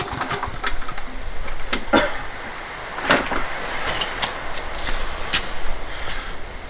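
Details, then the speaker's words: Toro 20789 mower with Briggs & Stratton Intek engine, hard to restart when hot: sharp irregular pops and bangs over a rough, struggling start, backfiring after carburettor primed 4–5 times; valve clearance to be checked next, cause unconfirmed. "T'entends les retours de flamme et tout ça quand on essaye de démarrer."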